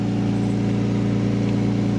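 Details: Manual 5-speed Lexus SC300 at steady cold idle, not revved; low puffing, chuffing edge riding the engine note from an exhaust leak.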